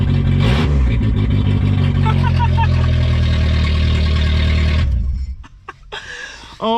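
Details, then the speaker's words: Junkyard VW Golf Mk3 just started, very loud raspy deep pulsing engine note with the exhaust open, missing after the cat. "the last thing i ever expected was to start this car and have it just wow it's loud hits are really loud"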